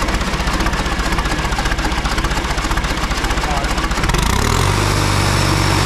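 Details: John Deere 2020 tractor diesel after rebuild, first start on a jump starter with slow cranking: clatters at a steady, even beat then settles into a smooth, firm idle; started fairly easily, some fuel leaks noted; normal idle.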